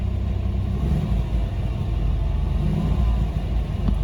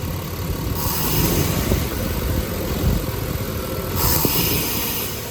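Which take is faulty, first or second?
second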